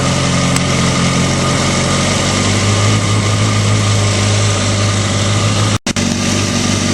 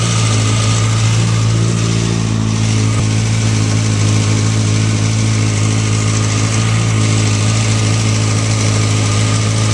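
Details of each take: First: Motorcycle idling smooth and quiet after manual cam chain tensioner adjustment (tightened until chatter stopped, plus 1/4 turn, locknut set); earlier cam chain rattle gone, steady low hum, no top-end rattle. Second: Motorcycle with a manual cam chain tensioner, loosened until the chain chatters: steady idle under a busy metallic clatter of slack cam chain rattle, noisy enough to need adjusting; tensioner then tightened until the noise goes away.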